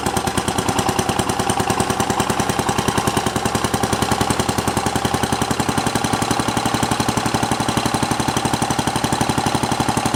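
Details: Simplicity 7010 lawn tractor, single-cylinder engine just restarted after head removal and spark plug replacement (old plug sparked intermittently): loud, raw, evenly spaced exhaust pops at steady speed; muffler rotted through and leaking, needs replacing.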